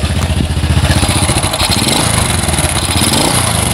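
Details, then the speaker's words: Honda Supra Fit motorcycle, owner complains noisy and lacking power; loud uneven running with loose rattly clatter; mechanic suspects worn piston rings, slightly loose cam chain. "ya jadi disini temen-temen perkiraan saya Hai jelas bagian ring Piston sudah kena Ayah sudah aus ya dan juga bagian rantai kamrat juga agak kendor"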